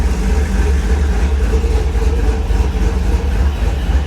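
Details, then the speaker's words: LS V8 with VATS deleted, first start, idle bumped up, warmed up with oil pressure and coolant temperature reading: deep, lumpy idle with a steady rhythmic cam chop, runs evenly, no knocks or ticks; normal cammed idle. "She got that chop. That Donald Dumper chop. Now that it's warmed up, it sounds pretty good."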